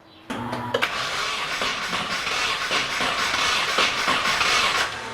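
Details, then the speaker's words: Nissan 240SX first start attempt after two years and a full rebuild: steady even cranking for five seconds but it never fires. Distributor possibly on the wrong tooth and spark weak; cause suspected, not confirmed. "Okay, it's got spark. It's not the greatest spark I've ever seen, but I would think that would at least be enough for it to sputter, which it's not doing."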